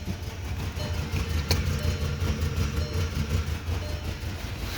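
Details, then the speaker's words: VW hard to start (key held long); dies without throttle, lumpy stumbling surging idle like running out of gas, still rough revved to 1,000 rpm: rough idle. "And if you don't give it any gas, it will die. And as you can tell, it has a really bad idle. It makes that sound like when you're running out of gas,"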